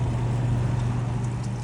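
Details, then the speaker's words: Bonaire Durango evaporative cooler after replacing the water pump: steady even low hum with no knocks, rattles or surging; the new pump runs and moves water normally. "Let's make sure that it's running, which I already know it is because I can see the water."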